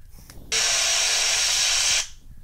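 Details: iPhone 6 Plus: sudden loud hissy static-like buzz for about a second and a half, occurring when pressing buttons, tapping in Facebook, or plugging in the charger.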